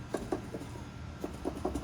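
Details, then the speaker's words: Chevrolet Onix/Prisma-type car, exhaust rocked by hand: light hollow knocks, about seven in two seconds, as stretched, enlarged hole in exhaust hanger rubber lets pipe hit; mistaken for suspension metal-on-metal noise over rough roads. "então a borracha isso essa folga esse buraco alargada bosta fica batendo aqui e fazendo um barulhinho você escuta bem baixinho"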